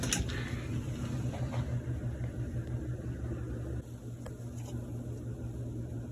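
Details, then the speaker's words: 1958 Baird/Emerson Wondergram record player, quiet replacement motor swapped in for a rattling one: soft, steady low hum with an even flutter, no rattle or knocking; runs smoothly. "this is the quiet motor and we'll set it right there"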